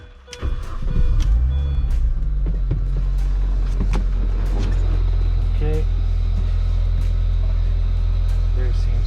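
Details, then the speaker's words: Mini Cooper S (R53/R56) after fuel filter replacement, with fuel pump primed after depressurizing; engine cranks, catches at once and settles to a smooth, even idle with no stumble and no leaks; fuel system normal. "seems to be no leaks there. Everything seems to be working okay."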